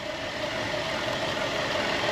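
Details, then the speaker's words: 2010 Buick Enclave CXL V6 idling steadily with a smooth, even hum and no stumble or miss, after a vacuum hose leak that caused misfires and occasional stalling was fixed. "ahora está callado y todo era por culpa de del vacum que tenía la manga ya está está serenito"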